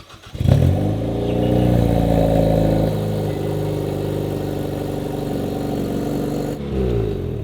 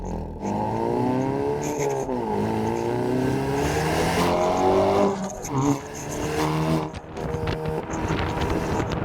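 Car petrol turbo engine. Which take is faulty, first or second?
first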